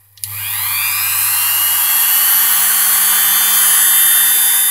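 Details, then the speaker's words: Five-day-old Dremel 3000 rotary tool spun up to higher speed: thin, piercing whistle steady above the whir, absent in the first two days after purchase; abnormal whistle, cause unconfirmed. "больше увеличим еще больше тоже уже был слышен такой пронзительный свист которого изначально не было изначально это в первые два дня после покупки"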